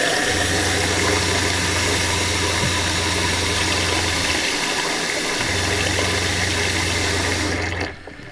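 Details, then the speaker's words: RV water pump after installing a Shurflo accumulator tank at about 35 PSI to cure uneven flow and short-cycling; low, even hum under an open faucet, slightly quieter, flow evened, pausing and resuming smoothly: normal pump running. "the pump seems like is a tiny bit quieter and the water flow is evened out and the pump doesn't have to run as much"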